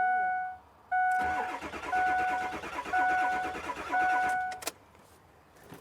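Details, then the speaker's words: 2003 Ford F350 7.3L diesel crank no-start on a jump box: steady starter grind with even compression pulses about once a second, never catching. The gauge barely moved, so injection control oil pressure to the heads is too low to fire. "So it's not building enough oil pressure. So we don't have enough fuel pressure."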